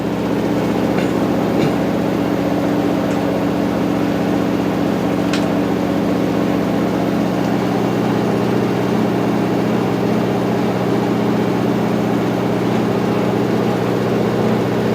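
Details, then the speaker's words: Top-load washer (replacement for a failed Whirlpool) at high-speed final spin, about 1 minute left before slowing and pumping out: a fast, steady whirring hum with no knocks or scraping. Little vibration versus previous washers; normal. "Not vibrating all that much compared to other washers that we've had."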